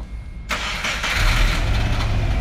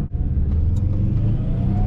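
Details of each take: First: Freshly swapped JDM Subaru EJ205 in an Impreza RS on first startup: cranks and catches, then idles with an uneven, lumpy beat — misfire from cylinder two injector left unplugged with a busted connector. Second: JDM EJ205 two-litre turbo swapped into a Subaru Impreza RS, JDM ECU, three cats, first drive after swap: engine climbs smoothly and steadily under throttle with deep even rumble, no hesitation, linear power and good torque; normal acceleration.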